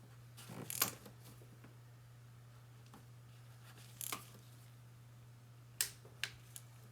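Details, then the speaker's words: 2011 Mercedes E350 valve cover reseal for a passenger-side oil leak: the torque wrench clicks sharply as the valve cover bolts are tightened in a crisscross pattern to 10 ft-lb, in a quiet room with a steady hum. "Now we're gonna crisscross these bolts. Right there. I hope you can hear the torque wrench click."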